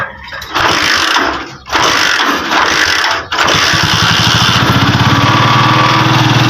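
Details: Euro 150 motorcycle that ran a short distance then died, after a replaced stator and spark plug; once the ignition is confirmed to produce current, the engine cranks, catches after a couple of tries, and settles into a steady idle.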